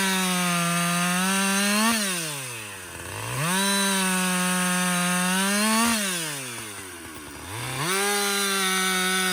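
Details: Husqvarna 562XP 60cc chainsaw after dealer software reflash for dying when hot, bucking windfall; high revs hold steady in the cut, drop when backed off, clean up quickly. Normal running under load.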